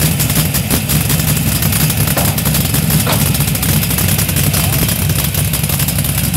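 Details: LS1 V8 in a Datsun 240Z: lumpy, uneven idle with stumbling rather than evenly spaced pulses; rough idle, cause not pinned down.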